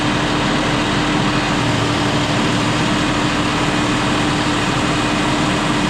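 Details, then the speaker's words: John Deere 5067E diesel tractor at 30 hours, after tightening loose intercooler boost hose clamps that caused hissing and boost loss: loud steady drone with even low hum, no whistle or surging, pulling properly; normal running. "but I do feel like, though, that it's running a lot better than it was now that I've tightened them clamps up."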